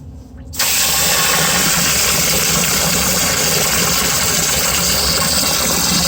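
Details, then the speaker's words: Home-inspection sump pump kicks on after water is added above the float threshold; abrupt switch-on, then a steady even hissing whir without surging or knocking, running normally. "So I'm gonna add water, and it's gonna go above the threshold, and you're gonna hear it kick on."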